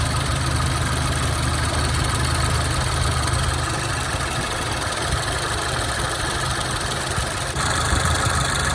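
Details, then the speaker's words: 2014 Range Rover Evoque after cooling fan control module replacement, idling with AC on, hood open: steady even idle with constant fan rush, no catches or rattles; cooling fan working normally. "That blade spinning, it's good to go."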